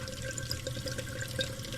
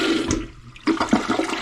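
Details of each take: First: Old toilet before replacement, jets clogged with mineral deposits and fill valve bad; water keeps trickling and hissing into the tank with scattered drips and no shut-off; running toilet, faulty fill valve. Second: Newly installed replacement toilet, second flush, with the tank filling to stop right at the set level on the overflow; quick rush of water swirls down cleanly and tapers off evenly; normal flush.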